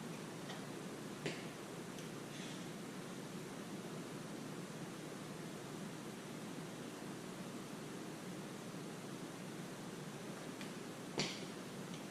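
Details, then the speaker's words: Water line under a slab pressurised with an air compressor, heard through an ST-2000 leak detector: steady even hiss with a couple of faint taps, loud at the leak point, likely an old failing iron pipe. "Wow, look at that. You can hear it really close. It was unbelievable."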